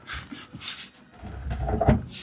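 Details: 1961 Buick LeSabre on jack stands in neutral, driveshaft turned slowly by hand: slow, dull thumps and a heavy clunk as the shaft flops loose inside the X tube. The center support bearing has failed.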